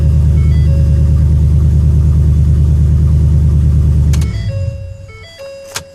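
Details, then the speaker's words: New Ford F-250 Super Duty 6.2 V8 with intermittent no-start, after reconnecting the wiring harness at the parking brake assembly: deep, even engine rumble with steady firing for about four seconds, then winds down; starts and runs healthy. "as you can see the vehicle starts and my tire pressure warning light is on due to different tires"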